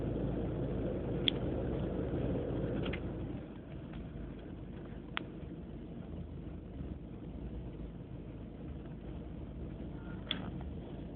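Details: BMW E36 318ti: an uneven, low burbling idle that sags after a few seconds; it is a rough idle of unknown cause. Replacing the idle control valve helped only slightly.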